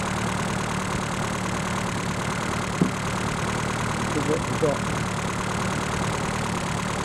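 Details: Reliant Robin just fitted with a more powerful alternator, now charging at 14 to 14.8 volts: a low, steady idle hum with an even beat and no knocks or misses; normal idle.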